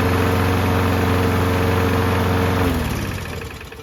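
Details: Free Toro Recycler single-cylinder mower after repair, kill wire cable reattached; runs steady and even at constant speed, then winds down as it is shut off; engine sounds healthy, normal running.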